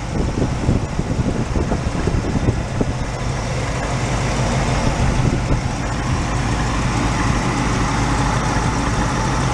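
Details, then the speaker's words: 1986 Oldsmobile Cutlass Supreme, automatic, revived after sitting about five years, idling on a lift: a rough, lumpy V8 with sharp puffs and pops, strongest early. An exhaust leak is suspected on one or both sides; the cause is unconfirmed. "it's popping on this side [Music] hard to say might be one on each side"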